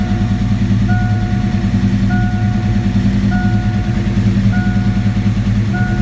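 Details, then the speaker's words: 1987 V8 after Promaxx cylinder heads install, computer relearning after battery disconnect: even steady idle with warning chime about every second, no misfire or tapping; running smooth, normal idle. "Got to get some gas, but it is running smooth."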